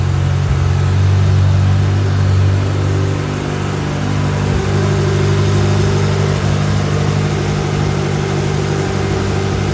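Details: 1995 Ferrari F355 GTB with gated manual and about 23,369 miles, just after a cold start without warm-up: a deep, steady V8 burble with loud exhaust settles into an even, smooth idle, sounding healthy.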